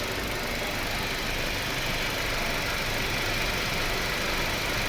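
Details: Mercedes-Benz C180 W204 (2.1 engine) idling evenly after repair of silent no-start with no gear position shown; settled idle with light hiss, no knock, misfire or stumble; normal healthy idle.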